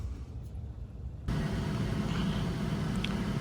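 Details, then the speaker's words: 2007 Saturn Vue 3.5 V6 AWD at 359,000 miles, idling after the rusted exhaust system was replaced and a broken manifold stud drilled and tapped. Warming up before final bolt tightening; low, steady rumble with no ticking or puffing leaks. Normal idle. "all right the exhaust system project is done it sounds a lot better we'll let it run heat up do a final tighten on all the bolts and we'll call this project finished"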